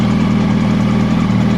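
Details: 2006 Yamaha YZF R1 with 19,000 km: even four-cylinder idle with a light, quick ticking from the top end towards the cylinder head, holding steady.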